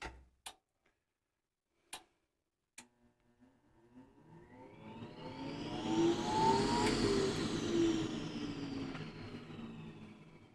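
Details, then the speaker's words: Goodman furnace with pressure switch fault, after rewiring the inducer motor, rated about 3,000 RPM: a few clicks, then a smooth whir spinning up evenly to full speed with no grinding or rattle; inducer motor running normally. "Yeah, it's supposed to be 3,000 RPM, so that's a pretty good clip."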